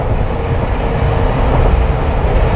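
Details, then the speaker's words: Jeep Wrangler with light bar after a no-cost noise fix, driving at 100–120 km/h on the highway: only steady wind and road roar, with no whistle from the light bar. "You can hear the wind outside, possibly like hitting the Jeep itself, because there's no aerodynamics clearly, but absolutely no whistling."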